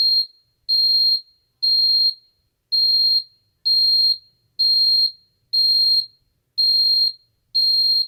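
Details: Ademco 6139R alarm keypad armed away: high-pitched beeps about once a second, each burst uneven and choppy; sounder stutters worse than other keypads, notably when the display changes; suspected due to older keypad design, unconfirmed.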